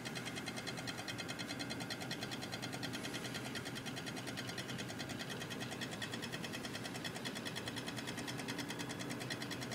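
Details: Cooler Master Real Power Pro 550W PC power supply making fast, fairly regular ticking of around two or three a second over a steady fan hiss.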